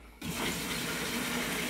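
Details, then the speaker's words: Washing machine that leaves clothes wet, diagnostic test mode: a click, then a strong, steady rush of water filling with no hum or chatter. The water inlet valve works normally. "And then while this is going, there's water filling up. So that's good. Good test. Lots of water."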